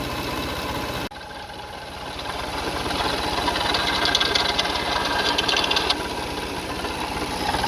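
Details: Car engine at idle, no leaks seen on the cover; steady light knocking about three per second over the engine hum; worn water pump bearing, timing belt kit and pulleys being checked.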